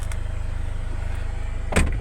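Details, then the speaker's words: 2016 Hyundai Starex H1 2.5 CRDi D4CB diesel, 16-valve, automatic, after timing replacement, drive belt and hydraulic lifters replaced to cure engine knock; steady soft idle, smooth low throb, no top-end tapping, brief thump near end; knock gone. "Вот так вот мяге работает машинка практически слышно"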